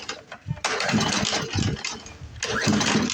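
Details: Poulan Pro push mower with Briggs & Stratton 550EX engine, before carb fix, running on sprayed carb cleaner: catches in short ragged bursts and sags, skipping; won't prime, clogged carburetor starving it of fuel.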